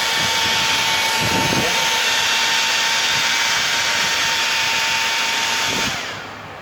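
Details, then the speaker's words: Hair dryer after home repair; it would not run before: the fan now runs with a steady, high-pitched, airy whir of even tone, cutting off at the end. Normal fan running. "और ये देखो, अब ये पहले नहीं चल रही थी, ये देखो चल रही है। आवाज़ सुन रहे आप इसकी, फैन चल रहा है इसका, ठीक है।"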